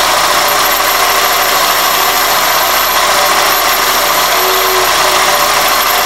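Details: 2001 Toyota Corolla at idle with a thin high whistle over the idle cutting in and out; belt not the cause; dirty throttle body and IAC valve, fixed by cleaning both and fitting new OEM gaskets.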